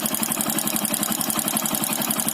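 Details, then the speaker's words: Bike single-cylinder engine with a loose piston with play in the cylinder block: quick, steady metallic clatter over the idle repeating every turn; piston slap. "अब piston block में ढीली हो गई है, इसलिए वो आवाज़ कर रही है।"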